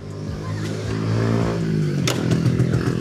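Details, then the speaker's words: Yamaha 125ZR two-stroke, Indo 125 carburetor, standard block, standard exhaust, 29,000 mileage, started after two years parked with calipers freed and new tyres; catches quickly, easy start, crisp buzz climbing smoothly with throttle, runs clean. "Senang nak start."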